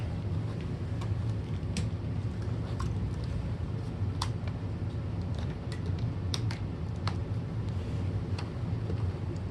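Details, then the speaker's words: Rainbow Mate vacuum power nozzle after teardown and refurbish, with its seized, screeching brush roll cleaned; now runs with an even low hum and a few light ticks, no screech or rubbing, perfectly quiet. "yep that is quiet as all get-out probably make some noise but I can't hear it over the b2 gold but that thing is just perfectly quiet no more weird noises"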